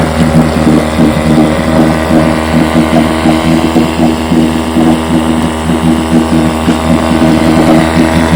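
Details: Fully restored 1958 Johnson 7.5 hp two-stroke outboard, barrel test without silencer fitted: steady even buzz throughout, no misses, surging or rattles; runs great, idles with a sweet purr, normal running.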